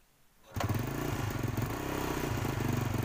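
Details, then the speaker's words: Motorcycle single-cylinder engine after a dead spark plug was revived at the roadside and refitted. It catches at once and settles into an even, steady putter of about four beats a second. Starts and idles fine; the plug's durability is not guaranteed. "Nah, oke bro, ini berhasil hidup ya. Oke. Oke bro, dan motornya atau businya kembali bisa hidup, bisa berfungsi ya."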